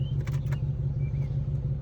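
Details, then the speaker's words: 2001 Cadillac DeVille after EGR valve work for P1404 (rough running, smoke, check engine light), codes cleared: steady, even low idle rumble with no misses, stumbles or hunting; runs much better, normal idle. "but I think it runs a whole lot better"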